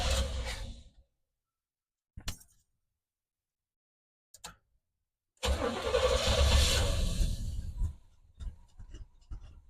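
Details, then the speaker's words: 1973 Chevy C20 with a Rochester Quadrajet four-barrel carburetor, started after new spark plugs and fuel filter: several cranking bursts, then it runs ragged and uneven before faltering; rough running, blamed on an untuned carburetor. "I don't think that's how it's supposed to sound. >> No. Why does it sound like that? >> Because the carburetor is not tuned."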